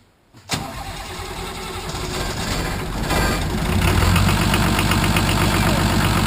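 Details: Nissan SD33 turbo diesel in a 1980 International Harvester Travelall after oil, fuel and air filter service, fuel system primed to purge air: cranks, catches and settles to a steady, even clatter about four beats a second with no misses; normal idle.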